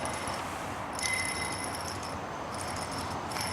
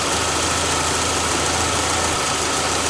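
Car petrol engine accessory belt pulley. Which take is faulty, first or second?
first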